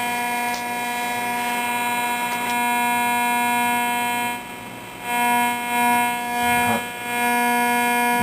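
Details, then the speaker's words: Zenith Trans Oceanic Royal 3000-1 radio after repair and reassembly: steady buzz of evenly spaced tones cutting in and out as an LED flashlight is switched, LED flashlight interference picked up by the radio. "flashlight my wonderful led flashlight isn't that special great flashlight except for that"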